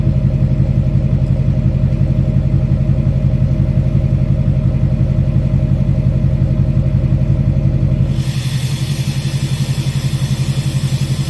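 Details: 2006 Chevy Silverado LBZ Duramax diesel, warm, idling on tune four (DSP5 switch) with new 5-inch straight pipe and flow-through muffler; deep, even, regular throbbing rumble with no hiss; normal idle.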